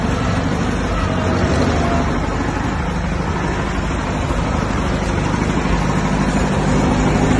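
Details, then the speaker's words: 1959 Massey Ferguson 85 tractor, first start in 5 years after new points, cleaned carburetor and new solenoid: steady low chugging idle, about three beats a second, even and unbroken; normal idle. "Ferguson, 85. Just started up in 5 years."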